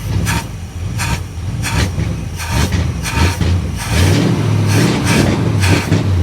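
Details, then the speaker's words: 1959 Dodge Coronet, cold with choke wide open, fuel pressure at 4 psi: throttle blips come in uneven surges, lumpy note hesitating instead of climbing; owner suspects 4 psi isn't enough fuel, raising to 5 psi. "yeah see it sounds like four psi is not giving it enough fuel so let's turn it up to five"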